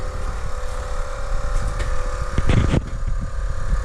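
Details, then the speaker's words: 2008 Chevrolet Trailblazer SS, new rear air suspension compressor switched on with key: deep, steady, slightly rough pumping drone filling empty air springs; compressor runs, though it doesn't sound terribly healthy. "turn the key to the on position and hear the compressor Turn on there we go compressor turned on"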